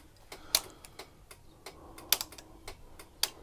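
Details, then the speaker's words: Triumph Rocket 3 motorcycle with ignition on, alarm off: sharp, uneven relay clicks with louder snaps from a non-factory relay low on the bike, not the indicator relay, amid intermittent electrical faults with indicators cutting out. "So I was wondering if that was the indicator relay, but you can hear the clicking down here. So that's not the indicator relay, so I don't know what relay that's for."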